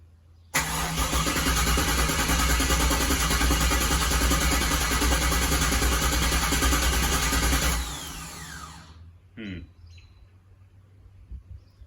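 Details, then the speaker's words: First start after a Holley Terminator X Max EFI install: steady cranking about three turns a second for seven seconds that never catches; the fuel pump isn't running because it was wired to the fuel gauge sender wire instead. "i don't hear the fuel pump running i'm gonna have to check that"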